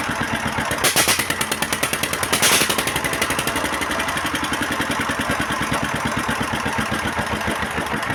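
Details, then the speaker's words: 16 HP S1100 single-cylinder diesel with no power and lots of oil from the ventilator: a steady, even thump that picks up briefly but feels flat; worn injection plunger and nozzle, so nozzle, plunger and delivery valve are to be replaced. "क्योंकि गैस ने बहुत अच्छी प्रतिक्रिया नहीं दी और जब हमने इसे खोला, तो लॉन्चर पहले ही हिट हो चुका था, इसलिए यहां हम नोजल, प्लंजर और डिलीवरी को बदल देंगे"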